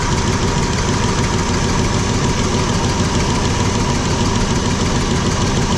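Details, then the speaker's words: Long Hauler engine at idle after new spark plugs and wires replaced carbon-tracked ones: steady idle with light sewing-machine-like clicking up in the valve covers; owner suspects rocker or valve lash problem, unconfirmed. "sounds like I got something wrong with rocker or yourself"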